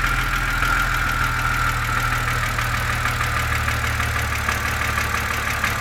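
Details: BMW Z4 2.5si engine at cold idle with a light, fast, even ticking (about three per second) riding over the steady engine note, following engine speed; a top-end, likely valvetrain tick, cause not pinned down.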